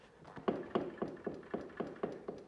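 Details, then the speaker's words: $400 ATV with a blown bottom end: a hand-spun wheel gives steady rhythmic knocking, about four a second, from a badly worn wheel bearing. "That's the wheel bearing on that wheel and that wheel. That's pretty bad."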